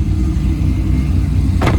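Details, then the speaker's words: Chevrolet Corvette C5 V8 in neutral after coolant tank replacement and fresh coolant: a steady deep rumble with a quick throttle blip that rises and settles cleanly; no steam or smoke, runs healthy. "all right gave it a little Vin Diesel rev still revs up nice sounds"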